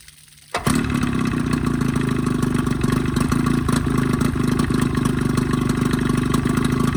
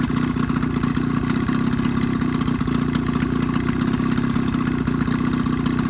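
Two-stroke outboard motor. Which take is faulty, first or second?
first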